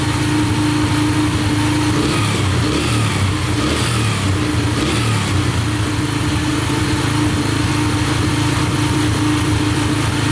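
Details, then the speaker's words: Yamaha TTR125 dirt bike (believed 2003) after top and bottom end rebuild; idle was a bit high, turned down and now settles slightly lower, steady and even with no knocks, rattles or stumbles; healthy idle. "the idle was a little bit High I'm gonna turn that down there we go it's a little better"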